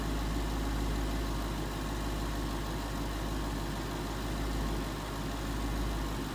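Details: 2011 Ford Mustang GT 5.0 Coyote V8 with Roush exhaust at first start in an echoey garage, after all eight rod bearings (King CR868SI) and TTY rod bolts were replaced and 5W-30 added: deep, even idle, steady low rumble; earlier tick and knock gone.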